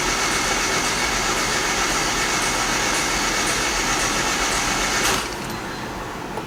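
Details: Honda Civic (92–95) D16Z6 being cranked to build oil pressure until the oil light comes on: fast, light, even starter churn at about four turns a second with no compression beats. Owner hopes oil in the cylinders may restore compression; cause unconfirmed.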